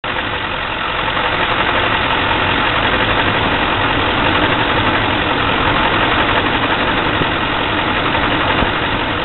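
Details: 2004 6.6 diesel engine idling roughly with a dense, clattering beat that doesn't stay quite even.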